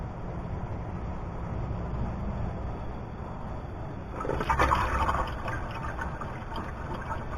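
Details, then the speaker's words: Laser86 car during fuel pump swap, fuel pressure being raised from 30 psi: soft uneven gurgle of coolant under a low hum from the electric water pump running; normal flow. "You hear the gurgling, that's the electric water pump running."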